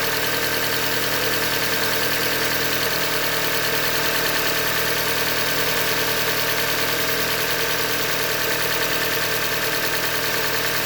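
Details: 2015 Hyundai Elantra Limited, 91,000 km, idling: steady ticking knock about three per second over the running noise, pointing to a failed bottom end; diagnosed short block failure, called a Hyundai manufacturing defect.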